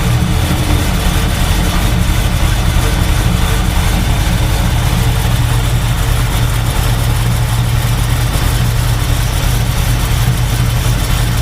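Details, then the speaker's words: 1971 Chevy Nova with Chevy 350 V8 and TH350, after replacing fuel line and filter O-rings for fuel leak, cold start warming on half choke: deep steady burble, no knocks, misses or squeals; normal idle. "What'd you say? Does it sound normal? Yeah. Alright, making sure."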